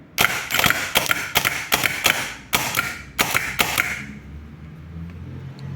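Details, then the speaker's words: Peugeot Partner starter motor, dried out inside: sharp harsh ratcheting bursts about two a second for four seconds then spin-down; drive slips on ring gear instead of engaging, so it won't start. "é nessa hora aí que na hora que vai engrenar lá né na gramaleira lá do carro ele tipo patina aí por isso que o não consegue dar partida ele fica girando em falso né"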